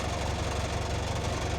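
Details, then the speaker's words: 2017 Range Rover Evoque diesel idling with a loose buzzing rattle on the low throb. The exhaust fixings have pulled through their mounts, and the planned fix is larger washers. Exhaust rattle. "It's no big panic, but it's very, very annoying that rattle on the exhaust."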